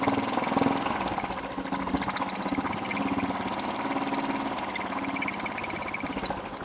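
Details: Royal Enfield Bullet 350 single at idle with both rocker head caps removed: a sharp, dry tick on every beat over the thump. No engine oil reaches the rockers, the main cause of the abnormal top-end ticking.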